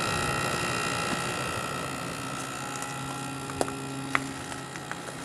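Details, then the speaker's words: 1989 Carrier International Series window air conditioner with GE fan motor, compressor just started and beginning to cool: steady even compressor hum with fan hiss and a few light clicks, smooth quiet normal running. "It's getting a little cold. Let it run for a while. Compressor has a real nice sound to it."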